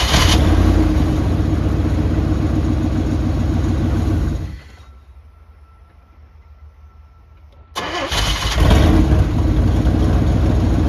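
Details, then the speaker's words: 1998 GMC K1500 that sat 3 years, first start after a new battery: starts easily and runs well, but loud, raspy rumble with a puffing beat from a small exhaust leak. "All right, so it started up really easy and it runs good. It's got a little exhaust leak, obviously, as you can hear, but it started up, ran good."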